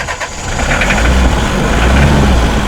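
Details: Mitsubishi L300 diesel, hard to start, needs throttle to keep running, thick white exhaust smoke, sluggish rpm rise: low, uneven idle with a wavering beat; incorrect injection pump timing.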